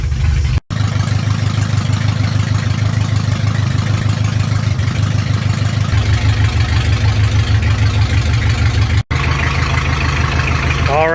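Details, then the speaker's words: Chevy LUV 4x4 carbureted engine, started dead cold without a choke: steady low idle with an uneven lumpy pulse about three times a second; vacuum gauge hunts around instead of holding the expected 18–20; carburetor mixture and ignition timing still need adjusting. "so it's going to idle pretty rough till we get some temp under without a choke but impressively enough it actually can hold an idle dead cold so that's already a pretty good improvement over how it was"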